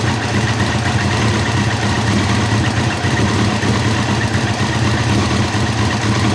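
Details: 1990 Kawasaki ZZR1100, suddenly running on three cylinders: lumpy, chuffing uneven idle with one cylinder dropping out, sounding like it spits back through the carb; swapping plug leads two and three moves the fault, cause unconfirmed.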